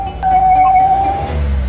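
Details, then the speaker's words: Car that starts normally but whistles when the accelerator is pressed: a steady high whistle rises as the throttle opens and fades afterwards. The air flow meter was found clogged with black carbon, as was the intake tract. "听到了吧？发动机里面有咻咻咻的声音，你知道什么原因吗？"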